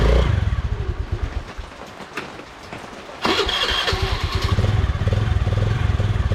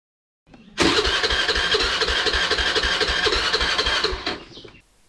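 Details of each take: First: Honda Dio scooter after starting-problem repair: plug cap reconnected until it clicks; fires up and settles into a steady putter with a brief throttle blip; normal start and idle. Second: Honda Dio scooter with a starting problem; the starter cranks with even pulses about four a second for several seconds and the engine never fires; no start due to poor spark plug cap contact.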